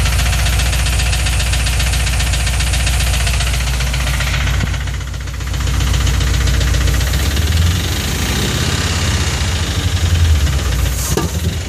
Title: Rod knock? fuel injector stuck open?